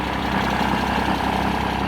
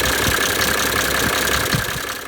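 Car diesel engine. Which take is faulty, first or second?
first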